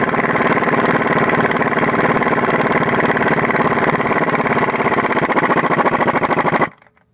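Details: 2000 Toyota Camry four-cylinder, harmonic balancer job (first noticed as a faint squeal with the AC on): an even, steady idle with a smooth regular pulse and no knocks or squeal, then a clean shut-off; engine running healthy.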